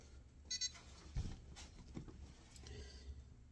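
A quick pair of high-pitched beeps at switch-on over a quiet room. The transmitter starts up normally.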